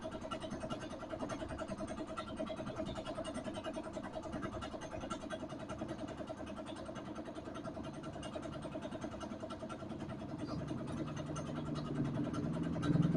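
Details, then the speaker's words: Yamaha Vega ZR that sat unused too long: hard to start and runs rough, an uneven, faltering idle that stumbles, then rises near the end. Rusty, dirty fuel tank found; carburetor strip-down, tank flush and new spark plug planned. "Ya, jadi kondisinya seperti itu ya, dinyalakan juga susah karena kondisinya memang sudah parah, karena kendaraan ini itu tadinya enggak digunakan ya, ataupun enggak dipakai, jadi nganggur terlalu lama."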